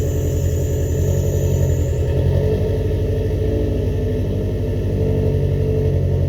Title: first start up after rebuilding the heads